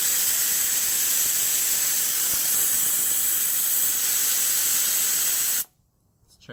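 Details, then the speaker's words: Boulder rapid tire deflator on the rear wheel, airing down from 30 to about 20 psi: a steady high hiss of escaping air for five seconds, then an abrupt cut-off; deflator working normally. "Get the valve in there, feels firm here. Twist this off. You can hear the little air coming out."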